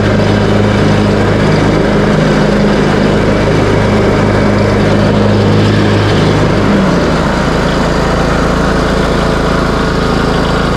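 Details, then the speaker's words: Craftsman T130 riding mower after repair, started on choke, cutting end-of-season grass with blades engaged and deck set high: loud, steady drone settling lower as blades take load, no stumbling or knocking; engine pulls fine, mower ready to go. "and there you have it this bad boy is ready to go this is how I do it"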